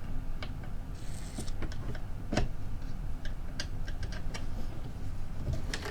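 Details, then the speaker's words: Inventables X-Carve CNC router during assembly, gantry just tightened with an Allen key: even low stepper motor rumble with only a few light ticks and no rattle; the gantry runs tight and smooth, as it should. "people shouldn't be able to hear that that's good because it's not rattling that's how it should be"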